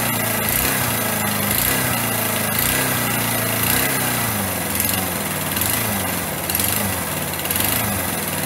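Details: Small single-cylinder motorcycle engine running after a rebuild with missing tensioners and snapped head bolts, exhaust valve clearances set, oil circulating: light quick beat rising and falling slightly with throttle, no knock or rattle.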